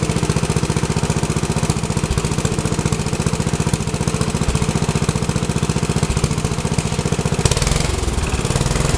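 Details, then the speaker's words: Rebuilt Troy-Bilt tiller, next day, after choke fiddling: steady, even low putt-putt firing with no misses or knocks; owner unsure of choke combination but it does start and runs good. "maybe it's full choke two poles and half choke or no choke I don't know it does start and runs good"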